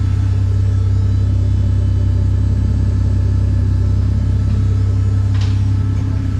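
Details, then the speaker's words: VL Commodore with a converted turbo Barra Greentop six (300,000 km), TH400, 9-inch diff, running E85. Deep, steady, even idle rumble, no hunting, ticks or knocks. The bass idle was tuned on the hoist with a wideband: healthy. "So this has got a real bass tune in it. I literally sat on the hoist with it to get it to idle."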